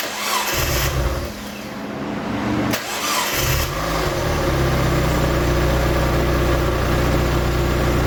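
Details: Freshly rebuilt 1.8 BP4W Mazda Miata engine, first start after sitting a decade: cranks, catches, loud slightly uneven lumpy idle, running rough; codes for unseated coolant temp plug and missing knock sensor, cause of roughness unclear.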